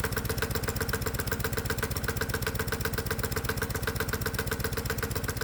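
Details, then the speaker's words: Hot-bulb semi-diesel lawnmower warming up on gasoline with the spark plug connected, carburetor mixture leaned out: crisp, evenly spaced single-cylinder beats at a constant pace with no misses or surging; it runs smoothly. "So as the engine's warming up, I'll adjust the carburetor to get it to run a little bit smoother. And it turns out the engine actually wants less fuel, so I'm leaning out the mixture. Ah, yes, that sounds pretty good."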